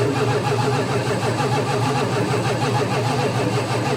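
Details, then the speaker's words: 1977 Dodge motor home with 440 engine, sat for years, cold day with choke closed: slow dragging starter cranking that never catches; crank, no start, spark and fuel still to be checked. "nope nope nope it's not going to be that easy"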